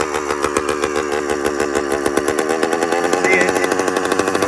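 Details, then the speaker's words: Newly built 100cc two-stroke motorized bicycle kit at idle: rapid popping whose speed keeps rising and sagging instead of settling. Hunting idle; owner unsure why the RPM fluctuates. "It also keeps fluctuating in RPM and I'm not sure why"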